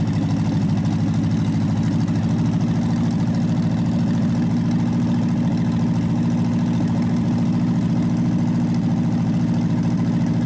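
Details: Packard 374 cu in V8, previously overfilled with oil (oil in carburetor and intake), after oil change: low, steady burble at idle, even pulses, no skips; now firing on all eight cylinders, still smoking.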